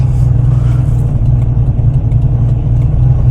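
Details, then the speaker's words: Tuned 1993 TVR Chimaera 400 V8 with Rover gearbox, owned from new, idling during a test drive. Loud lumpy idle with a fast, sharp ticking on each firing pulse, audible even at tick-over. Badly blowing exhaust manifold gasket; manifold must come off. "so yeah basically um there's nothing for it I'm going to have to take this back to the workshop and pull the exhaust manifold off which is well it's not fun on any car but on this yeah I can hear it on tick over that's how bad it is"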